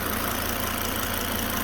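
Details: Idle after disconnecting the auxiliary belt: steady, even idle with a smooth low hum and no squeal or rattle, the strange noise now gone; the noise was traced to a failing alternator, later replaced.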